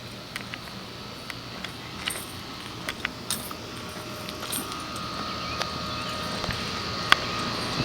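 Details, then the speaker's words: 2012 Trane XL15i 4-ton heat pump cooling on a very hot day (June 2013), quieter than the neighbouring XL20i: steady even fan-and-compressor rush slowly growing louder, light scattered ticks; normal running. "And there's the XL15. Also running."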